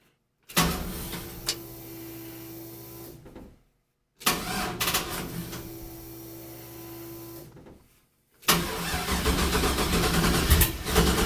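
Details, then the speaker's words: 1965 Chevy C-10 with an LS swap and drive-by-wire, check engine light on, battery charger connected: the starter cranks steadily in two bursts, then a louder rough burst as it briefly tries to fire before dying — crank, no start. "Well, it tried to fire."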